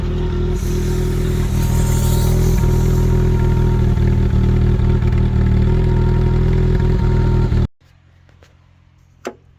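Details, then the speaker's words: 1984 Holden Drover after distributor work with a new cap: low lumpy idle with an uneven beat about four per second, dropping a pulse now and then; idle misfire. "I just want to hear what she sounds like I've got now I hear the missing huh"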